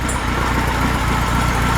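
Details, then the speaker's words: Freshly built high-performance air-cooled VW flat-four for a Baja Bug, first start at the engine builder's shop, still cold: steady, even low idle with no stumble or miss, runs much better than the old engine; oil pressure 50 lb at idle. Normal idle. "you can you can hear how well it runs too as compared Locker there sweet yeah beautiful beautiful great oil pressure at idle 50 lb it's still cold"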